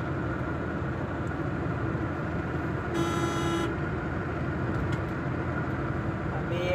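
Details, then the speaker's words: 2006 Hyundai Santro driven at 60 km/h: steady road hum and engine drone, no clunks or knocks over bumps; earlier noises had been put down to cut suspension bushes. Quiet suspension while driving. "है तो guys मैं अभी हम लोग चल रहा है 60 की स्पीड से कोई आवाज नहीं आ रही है गाड़ी में"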